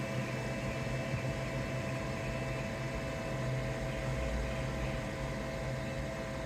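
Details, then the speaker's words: AllPowers S2000 solar generator after being run at maximum load: an even airy fan rush over a low hum, slowing in small steps as the unit cools; no burning smell or excess heat, normal cooling fan run-down. "I don't know if you guys can hear it but the fan is slowing down very incremental steps of slowing down as it cools off"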